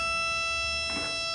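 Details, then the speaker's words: Boat engine overheat alarm after rewiring, sender heated: steady, shrill continuous buzz at one pitch; overheat alarm buzzer working. "Give it a little heat. And you hear it buzzing."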